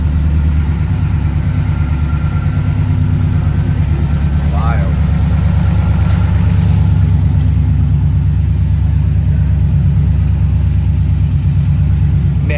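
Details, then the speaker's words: 2008 Subaru Impreza STI hatchback, modified, after engine work following a spun rod bearing: first start, deep even burble and steady low rumble with no knocks or ticks; smooth healthy idle. "so to have the car running and running this smooth is uh pretty cool pretty happy with the outcome hey guys how beautiful does that sound sounds so nice"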